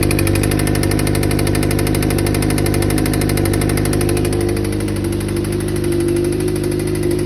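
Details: 2007 Suzuki GSX-R600 at steady idle with a deep, regular knock about 3–4 times a second under the engine note. The owner first suspected the cam chain tensioner or valves, but the tensioner was fine. Bearing material turned up in the oil: a spun bearing, and the engine was replaced.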